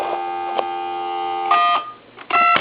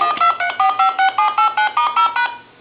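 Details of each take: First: Coby CT-P750 big-button speakerphone dialing through a test analyzer: two-tone keypad beeps where key 3's tone is slightly off frequency, so the analyzer rejects it; the phone company's looser tolerance still accepts it, and the phone works. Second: Coby CT-P750 big-button speakerphone under repair, dialing on speakerphone through a test analyzer: eleven crisp, evenly spaced two-tone DTMF beeps; the tone generator dials normally, and the phone transmits, receives and has dial tone.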